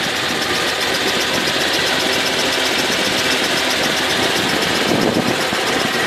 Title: Запуск на холодную Infiniti FX35, стук в моторе